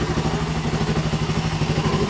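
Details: 2017 Suzuki Raider 150 single-cylinder after engine refresh and clutch lining replacement: even, steady thump about eight beats a second, no knocks or rattles, one brief bump near the end; normal healthy running.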